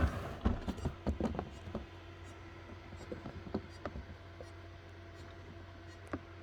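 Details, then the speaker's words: Small Seagate hard drive in a restored Pentium 4 631 PC (Intel D915GAV board), powered on: uneven ticks and clicks about two per second over a faint hum, no pause, moaning; owner thinks the drive has failed, not confirmed. "Dude, it doesn't even pause. I think that hard drive failed. You can literally hear it moaning."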